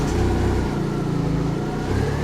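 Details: 2008 Chery Jaggi 1.3 petrol, previously not starting with code P1614 (immobilizer/ECU not recognizing key), now starts and holds a low even idle with steady firing beat, no misses; running normally.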